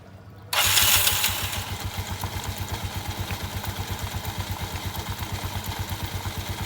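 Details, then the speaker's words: Yamaha Mio scooter after CVT service: starts, flares, settles to steady pulsing idle; the earlier rubbing chip-chip noise from rear CVT area, suspected rubber part, is gone; normal idle. "Udah halus, suara bunyi tadi karet itunya udah hilang."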